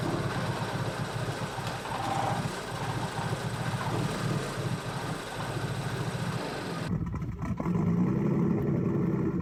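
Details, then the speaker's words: BMW N55 after flashing 93 octane OTS map: rough, lumpy idle with stumbles, misfires on all cylinders and strong fuel smell after stuttering at top rpm and stalling; owner suspects injectors or high pressure fuel pump, unconfirmed. "i'm thinking injectors i think the codes are kind of pointing that direction misfires on all cylinders"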